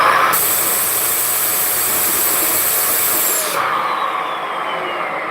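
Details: Bissell vacuum: a loud rushing hiss with a thin whistle that drops off sharply after a few seconds, from a clog in the suction path between bin and hose.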